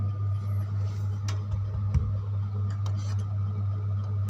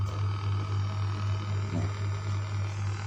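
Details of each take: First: Home-built wooden-box power amplifier at full volume, input cable unplugged: right channel gives only a faint steady background with small clinks and no hum, so that channel is clean. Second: Homemade power amplifier in a wooden box, volume at maximum, with a steady low mains hum and faint buzzing overtones coming from the Bluetooth crossover feeding it, in the mid channel, not the bass; ground loop hum from the crossover.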